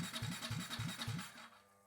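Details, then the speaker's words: KTM RC 390 build, fuel pump run through a MaxxECU at up to 99% duty, holding 49.5 psi at about 6.5 A: pump hum pulses about four times a second, then fades out at about 1.5 seconds. The pump stalls and pressure drops; voltage is suspected. "Now the pump stalls. >> Yeah. Yeah. It goes right down."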